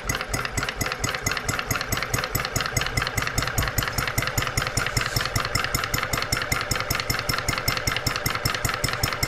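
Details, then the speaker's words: Brand-new Stirling Kit hot bulb horizontal mill engine, only unboxed, restarted by hand crank after the power supply was switched off. It gives crisp, evenly spaced chuffs about 2.5 per second with a steady beat. Normal running. "there you go guys we've done nothing with this except un box it"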